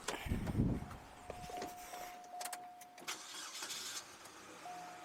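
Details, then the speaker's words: Chevrolet Cobalt no-start, cranked nothing with dead lights, then boosted from fuse box positive (battery in trunk): short cranking, engine catches and settles to steady idle; starts with a boost, so most likely needs a battery. "all right so it starts so most likely it's gonna need a battery"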